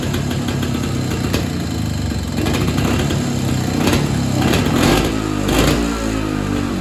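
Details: Evinrude Bobcat 25hp two-stroke snowmobile sitting 20+ years, carburetor diaphragm stack reinstalled: runs with a lumpy, uneven beat, won't hold a steady note and can't be tuned; rough running, owner suspects an air leak or hardened carburetor diaphragm.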